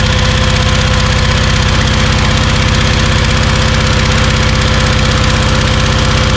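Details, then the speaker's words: Kärcher pressure washer, tested with water on but no spray gun fitted: steady, even thrum at about four beats a second, holding speed under pump load without stumbling. Running normally; pump pressure is very high. "so i would say that it works because the pressure was really really high so hard that um if i put my hand halfway through the stream it it hurts you know so i think the pump works"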